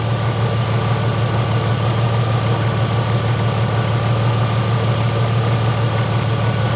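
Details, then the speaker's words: Mercedes SLK32 AMG running after new ignition coils replaced the Bosch ones. Steady, even engine note with a smooth low hum; the earlier misfire and bogging are gone and it runs healthier. "That sounds a lot better and a lot more healthier. So, those coils, I'm super happy."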